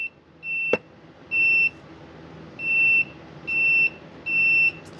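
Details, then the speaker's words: Husqvarna 150BT backpack blower that won't shut off with its switch: continuity meter gives six short high beeps in uneven bursts as the probe moves along the wire, showing an intermittent break in the copper wire inside the insulation. "There's a break right in here"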